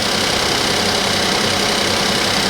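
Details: Suzuki Vitara, 19,000 miles, after cold start, with a fuse found pulled: even steady idle with loud hiss, coming down off cold idle, no knocks or misses; runs smoothly.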